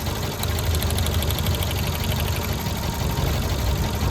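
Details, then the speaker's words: Tata Zest petrol at idle, rough and lumpy with an uneven low thump. A coupler was unplugged and the engine gave no response, so it runs on three cylinders with cylinder 4 dead. Scan shows P0304 and P0300; cylinder 4 injector/coil problem suspected. "ये तीन cylinder पर गाड़ी चल रही है engine तीन cinder स्ट य देख यह काम कर रहा है बाकी सारे सिलेंडर यह भी काम कर रहा है ये भी काम कर रहा है तो मेनली चा चार नंबर सिलेंडर के अंदर दिक्कत है"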